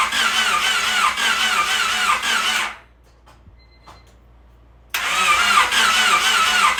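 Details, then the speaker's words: Honda Civic freshly rebuilt D16Y8 engine after install, ECU fuse removed so no fuel fires: steady rhythmic cranking about four turns a second, short pause, more cranking, never firing, building oil pressure before first start. Normal cranking, no start. "And when you take the fuse out, just make sure that it's not going to fire up any fuel or anything like that. It will just turn the motor over."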